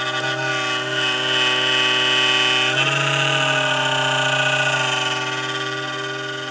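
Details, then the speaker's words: Noise from a mini dehumidifier: a steady buzzy hum with a rattly, slightly wavering whine. A dodgy fan bearing is suspected, and the fan needs cleaning and oiling. "just a dodgy bearing in that fan I think so I'm gonna give it an oiler"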